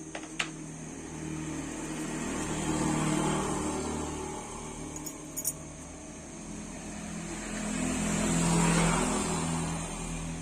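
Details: Honda Scoopy fuel-injected scooter idling right after fitting a genuine AHM fuel pump and reconnecting the fuel hose, checked for leaks: steady, even low hum, smooth idle, no knocks or misses; normal idle.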